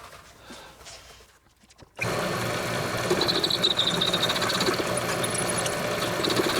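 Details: Homemade lathe with new headstock bearings and spindle, turning round stock: spins up to steady even hum with light high ringing, no grinding or knocking. Normal running.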